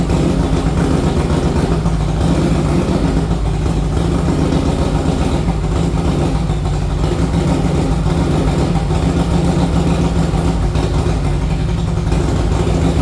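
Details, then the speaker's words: 1961 Harley Panhead after a ride down the road: uneven lumpy chugging at low speed, stumbling beat instead of a steady lope; owner first thought fuel starvation, found an intake manifold leak. "All right, I just took it down the road. Uh, it's chugging and bugging. Um, I mean, to me, it sounds like it's just not getting enough gas, but I don't know."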